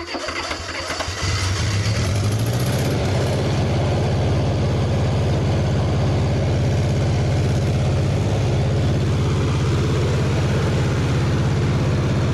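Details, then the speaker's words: $300 Bobcat skid steer started on choke, cold, eased on throttle: settles into uneven, lumpy idle; running on three cylinders, distributor reluctor needed but unavailable, so run as is. Rough running, suspected misfire. "We still need a reluctor for the distributor because it's running on three cylinder, but you're having issues trying to find one."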